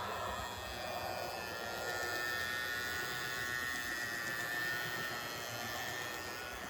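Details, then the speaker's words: Model locomotive motors on a layout: Athearn Genesis CSX MP15-AC gives a faint high whine with gritty, grinding edge, owner unsure if dried-up lubrication, versus a smooth-running Kato; noisy drive, cause unclear. "The smooth sound is a Cato. The kind of noisy sound is coming from an Athearn Genesis."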